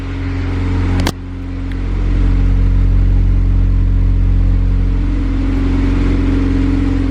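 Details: eBay turbo kit Honda Civic, new O2 sensor bung welded in and MAP tune issue addressed, warming up with slightly high idle, no fuel leaks: deep, even note swells smoothly with throttle and settles cleanly; ready for dyno.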